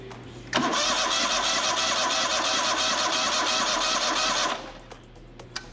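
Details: Rebuilt Kohler CH25S twin on a Grasshopper zero-turn, cranked on a 12-volt boost to prime oil before first start: about four seconds of even, rhythmic cranking with steady compression pulses and no firing; oil flows, pressure light off, normal cranking.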